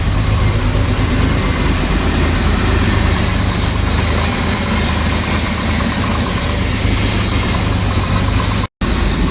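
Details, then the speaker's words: Jaguar Series 1 XJ6, first start after 21 years, oil pressure up: deep, loud idle with a slightly uneven low throb; twin carburettors need balancing and mixture tweaking, vacuum leaks suspected; rough idle, carburettors out of tune. "they still need a quite a bit of tweaking"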